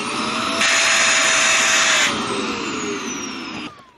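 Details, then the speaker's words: Shark vacuum with the filters removed still makes a shrill, strained suction whine that pitches up while the motor runs; clogged airway, blockage lower in the airway at the inlet choking airflow. "okay so so I have these out so when I turn this on it still makes a sucking noise"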